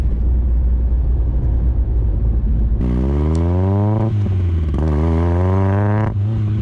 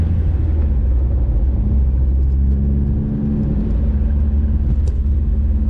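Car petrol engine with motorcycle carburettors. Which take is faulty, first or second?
first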